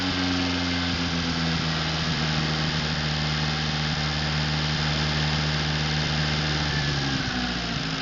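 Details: Atomic 4 inboard gas engine overhauled last summer (new pistons, rings, valve springs, plugs, wires, higher-flow water pump), run on a test stand before install in a 17-foot homemade wooden boat; steady, even idle hum with no knocking, normal idle.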